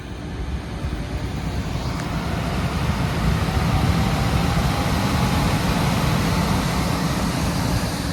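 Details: Daikin rooftop unit, two-stage gas heat, after replacing the gas valve diagnosed as failed (no heat), W1/R high and low called: a low rumbling roar swells over a few seconds, then holds steady; the burner is lit and heating works.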